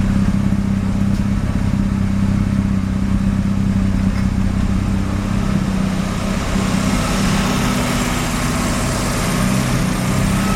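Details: Mazda RX-7 rotary, extremely high CO (2.70), failed inspection: lumpy uneven idle with irregular stumbles, misfiring mainly on slight throttle; no oil pressure, no leaks; ignition leads measured; cause not pinned down.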